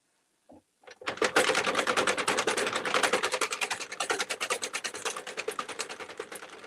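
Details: Hand-cranked circular knitting machine cranking out a hat: hard rhythmic clacks about three per second that follow the cranking pace; the machine is getting clanky, cause unknown.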